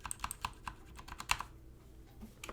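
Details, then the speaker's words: Stock Redragon Fizz K617 60% keyboard, Outemu Red linear switches, ABS keycaps, stabilizers factory-oiled on housing only: uneven typing clicks with faint hollow rattle and tick on larger keys from under-lubed stabilizers. "there is a little bit of a rattle in ticking on some of the stabilizers as you can hear"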